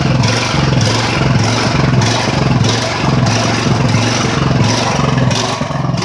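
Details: Ridgid generator with Honda GX 390 engine, started after repairs and months unused, choke pulled: loud single-cylinder drone surging up and down about every 0.6 seconds, governor hunting; unstable engine speed, repair not complete.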